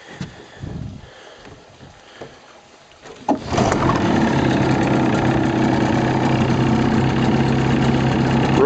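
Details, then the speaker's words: 1983 Johnson 25 HP outboard on a 1973 SmokerCraft, first run, choked slightly: fires and settles into a smooth, even idle with a steady burble, no misses or knocks, and pumps water well. "pretty smooth looking good pumping water real good can see give a little gas sounds good"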